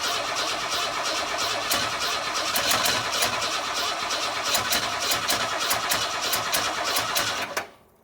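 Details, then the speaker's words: 1962 Ford Falcon inline engine without a carburetor, on starting fluid after wiring the coil direct and sanding the points: catches and runs high and uneven with sharp irregular pops over a ragged roar, then cuts out. Rough running, trying to run wide open; maybe not all cylinders firing. "I don't know what all cylinders are firing but well guys I think until I get the carpet on it that's about the best I can do because obviously it's trying to run wide open"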